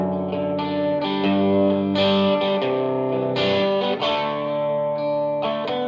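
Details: Vox AC30 amp after fixing top boost channel crackle by replacing both preamp valves, played with Harley Benton JA-60 Jazzmaster guitar: chords ring full and sustained, no crackling or popping; clean normal tone.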